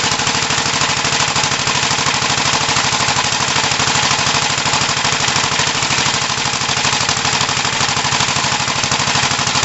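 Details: 1968 Gravely C8 single-cylinder after machine-shop cylinder work, oiled rings, and magneto points cleaned and adjusted to fix no spark, test run: fast steady thumping with crisp exhaust bark, no misses; normal running.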